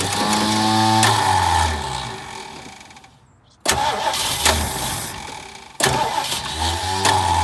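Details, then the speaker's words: 1968 Mustang, sitting 8 years, new battery, fuel poured into carb: three cranking bursts about three turns a second, never fires; owner suspects bad fuel pump or empty carb. "So maybe my fuel pump isn't pumping fuel, guys. Or that carb doesn't have fuel in it."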